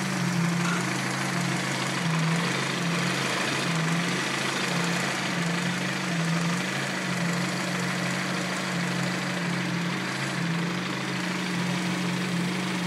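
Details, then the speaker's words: 1990 Honda Prelude idling after being driven, idle gauge reading 0, battery light on: rough idle with a low hum that swells and dips about every two seconds, a pumping noise the owner thinks comes from the intake area; cause unknown. "It's that little, it's like a pumping noise. I don't know what it is. It sounds like it's coming from over there in the intake area."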